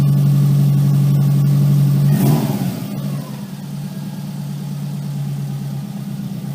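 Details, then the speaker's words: Subaru Impreza; steady idle then a brief harsh grating rasp as reverse is forced: gears grinding when selecting reverse, cause unconfirmed. "I was just trying to get it in reverse. It didn't want to take reverse, grinding the gears, and then I went for first, and it didn't want to roll in first."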